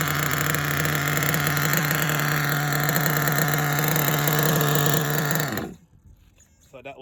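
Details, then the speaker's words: Nitro RC car, K5.9 engine with LRP 32 Spec 2 carb, venturi 8.5, low needle leaned: loud steady nitro buzz that dies after about five seconds when braking; carburetor idle air gap set too wide with car off. "too much too much on the gap off i see that when i break it shuts off so i'm gonna reset the air gap and adjust my end points and restart so see that air gap it's too big"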